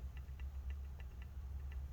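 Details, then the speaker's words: 2020 13-inch MacBook Pro A2251, plugged in after screen assembly replacement: soft crisp trackpad ticks about every quarter second over a quiet hum; normal trackpad clicking on power-up. "so the trackpad should start clicking again once it's done uh-oh oh god okay it's clicking now so hopefully it's gonna start powering up on its own"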